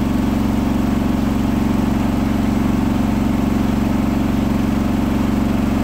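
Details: Hotpoint washing machine final spin at 1400rpm after a rolling bath sheet fooled the balancing and was thrown to one side: loud steady roar with even thumping about four times a second, lopsided unbalanced load.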